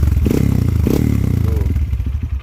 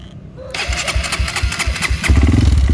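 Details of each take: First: Honda CRF motorcycle bored up to 200cc with 66mm standard piston, one year on the build, revved: deep, soft, bassy note with a rapid even firing pulse, rising and falling cleanly, no knocks or rattles; normal revving exhaust note. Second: Honda CRF bored up to 200cc with 66mm standard piston, one year old, cold start after sitting two days: fires after a short crank, then uneven, lumpy chuffing about three beats a second. Owner says the noise always occurs cold and goes away; noise on cold start.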